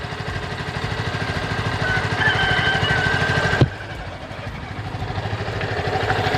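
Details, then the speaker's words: Yamaha Vixion (old model) single-cylinder idling after water pump seal and bearing replacement; steady even low thump about three beats a second, no knocking or whine: now very smooth, previous noise gone. "Dan ya bisa didengar, ini udah halus banget. Mantap."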